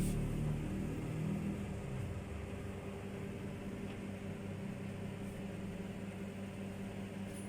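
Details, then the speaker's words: Microwave after repair, cooling fan motor internals cleaned of deposits with sandpaper and reassembled: steady even low hum, no rattle, scrape or grinding; fan and turntable running quietly, noise fixed. "มีเสียงหายแล้วครับเสียหายแล้วเป็นอันว่าสำเร็จนะครับ"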